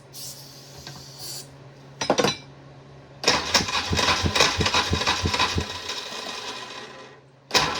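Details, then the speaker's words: 1994 Polaris two-stroke 4x4 quad, long-sitting, boosted by a partly charged pack, pull starter broken; starter churns unevenly about three turns a second and never catches, apparently flat battery. "here no not going to work and if you're wondering why I do not pull start it that is because the pole start is not there the pole starter is broken so you can only start this thing on the switch the starter"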